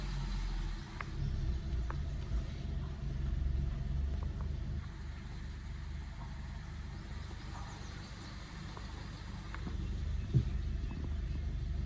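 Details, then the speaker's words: Hyundai Exter 3-cylinder petrol, first cold start after two weeks unused, about 18°C outside, AC off: soft, even low rumble, no knocks or misses, idling fast with RPM rising to about 1600; normal cold-start high idle. "देखो सुबह अपनी car को first time start करने पर RPM 1600 तक गया जो कि ज्यादा है। तो यह नॉर्मल है या टेंशन लेने की बात है?"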